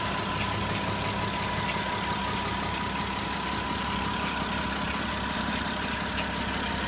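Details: Porsche Cayenne 957 with 3.6 FSI V6 at idle: rough, gritty timing chain grinding noise from the engine's left side, with fainter FSI injector knocking/ticking from the right side.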